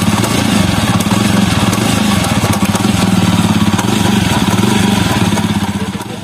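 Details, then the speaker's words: Jawa Perak (same sprocket as Jawa 42 and Classic) single-cylinder at idle in gear: steady clacking "khat khat" knock from the rear, about four a second, because the rear sprocket nuts have worked loose; fixed by tightening them with a 6 mm Allen key. "दोस्तों ये सब नट सब ढीला है, इसीलिए इस pocket का आवाज आ रही है।"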